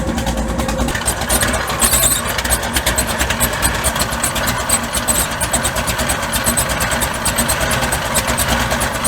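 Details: Mud bog truck just started after sitting since January. Loud, uneven idle with ragged, stumbling pulses; the spark plugs are fouled out and misfiring and need replacing.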